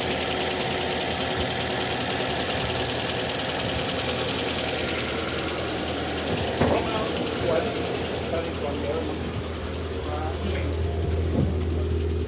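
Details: Ford Fiesta with overheating and misfiring, possibly needing an overhaul: uneven, lumpy idle with occasional stumbles instead of a steady hum; misfire at idle.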